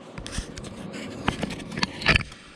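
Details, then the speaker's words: Crimestopper Coolstart remote start module: a few sharp relay clicks on pressing remote lock/unlock, with no lock motor thunk following; module switches but the door locks never actuate and the LED flashes. "you can hear the relay click in this box. None of the door locks are getting locked or unlocked, and the stupid LED starts flashing."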